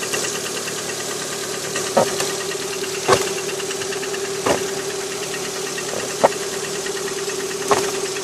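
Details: Lada Priora 126 engine, cold idle on a 10 °C morning: steady hum broken by sharp irregular knocks every second or so; piston slap, knock disappears with cylinder 4 coil removed; repaired, no knock afterward, sold at 100,000 km.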